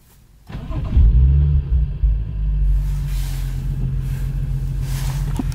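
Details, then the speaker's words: BMW 435i N55 after upgraded TMAP sensor installed: brief crank, engine catches at once, flares and settles into a steady, even idle with no misfire or stumble; start was pretty smooth. "come on fire up the car and hopefully everything works perfectly fine"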